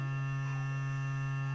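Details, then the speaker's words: Aquaphor Morion 101S water filter pump, two years old, after installing a missing water hammer damper on the main line: steady low hum at constant pitch that eases off; now tolerable instead of nonstop. "Нет, возвращается. Давайте подождем. Насколько должен, настолько долго будет гудеть."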